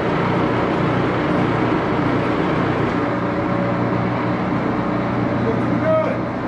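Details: Axelson 14x30" heavy-duty gear head lathe run through its speeds, headstock filled with AW68 hydraulic oil (about SAE 20, won't reach 1127 rpm); steady even gear hum and low drone, no knocks or grinding; normal running.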